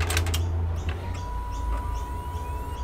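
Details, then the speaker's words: Desktop PC (Gigabyte GA-F2A55M-DS2, R9 270X GPU) that randomly hard-crashes: after the power-on clicks, a thin steady high whine holds one pitch over the low fan hum; the whine's source is not yet found. "So when I turn it on, you may be able to hear a whining sound."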